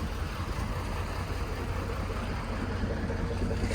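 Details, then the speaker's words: Vehicle that was stone dead and needed two jump boxes plus a service truck to start, in snowy cold weather, driver afraid to shut it off: stumbling, lumpy low idle with one cylinder dropping out; dead miss, cause unknown. "you hear this thing it's got a dead dead miss hear it"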